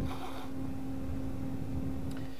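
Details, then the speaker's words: MFJ-4125P switching power supply with a replacement fan from the junk box, quieter than the original: a steady low hum with soft airflow, recorded with the mic held off to the side. It sounds normal. "and just from my sitting position I can just barely hear it"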